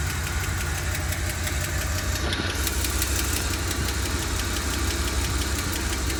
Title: Does anybody know what this sound is (ticking sound)? Its a 7.5 V8 big block. 1990. E460 Engine.